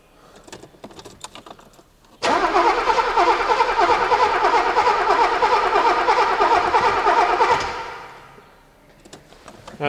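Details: 1983 Mercedes-Benz W126 280SE, 10 years in a barn, on a borrowed battery, throttle pumped: starter cranks about three turns a second for five seconds and never catches; fuel delivery checked next. Crank no start.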